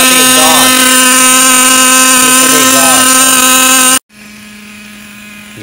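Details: Traxxas T-Maxx with a new 3.3 nitro engine that kept freezing up, first start: high, steady buzzing drone that holds an even note, then cuts out cleanly; the engine runs fine.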